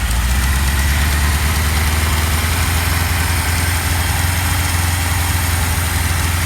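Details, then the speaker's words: 1977 Kawasaki KZ1000A four-cylinder project bike with used stock pipes, started after sitting a while: smooth, even idle with steady low rumble and no knocks or misses; a small exhaust leak at the front noted, sounds healthy. "Sounds nice. But sounds good."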